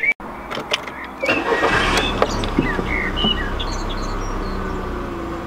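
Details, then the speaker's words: VW Mk4 Golf after new spark plugs, plug wires and coil pack to cure a misfire: low, smooth, even idle with no stumbling, missing or breaking up, smoother than before; normal idle. "good so far okay so listen there's no breaking up so yesterday even though I didn't knew spark plugs and idle waste smoother"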